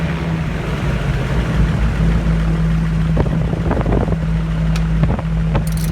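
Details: Aircraft N3318Q engine #2 after run-up and prop check at higher rpm, camera toward engine just before shutdown: deep steady piston-engine drone with even low beat and wind buffeting; normal engine run, no leaks found.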